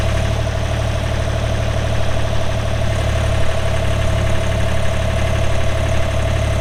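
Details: 2007 Ditch Witch RT40 trencher, 42 HP Deutz diesel (pre-emissions), 1,530 hours, idling: steady low diesel clatter with an even rumble throughout, no knocks or misses; healthy, smooth idle.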